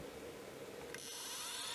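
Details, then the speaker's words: 1989 Acorn A3000 hard drive powering up after repair, microphone close to the drive, which had been spinning up and down and stopping: a quick click, then a clean whine climbing smoothly to speed with no cycling; it loaded the OS normally. "well it started straight away and it's working I'm really really happy well unless it's a coincidence it started up straight away no issues no spinning up and down"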